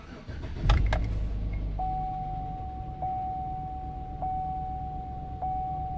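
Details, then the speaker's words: 2007 Chevrolet Tahoe LTZ 5.3 at 35,000, cold start with fan and radio off. The engine settles, then a thin steady high tone with faint ticks about once a second rides over the idle. It quiets only slightly as the oil and engine warm; cause unclear. "It gets a little bit quieter as the oil heats up and as the engine heats up, but not much quieter."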